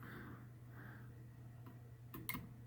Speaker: you hear it click when I shut it off